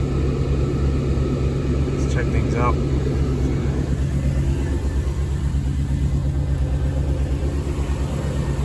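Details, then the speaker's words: Mercedes W124 E420 M119 V8 first start after power steering reservoir seal and hose repair: deep, even, low burble at idle with no misfire, ticking or hunting; smooth, healthy warm-up idle. "sounds good it's idling fine all right I'm gonna let it warm up for a little bit see how it's doing and I'll check back with you guys"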